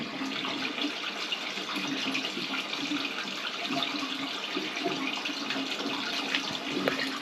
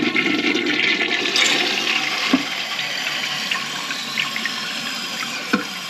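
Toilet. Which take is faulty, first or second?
second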